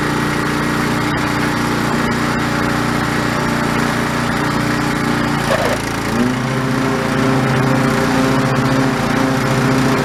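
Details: Old White LT1300 lawn tractor with an OHV Briggs engine, after repair of a failure with pop, rattle and clang, mowing grass: steady single-cylinder drone holding speed with only a slight dip under load; running healthy.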